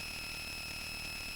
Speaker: there you go hear the noise great such a lovely noise i'm not quite sure why the noise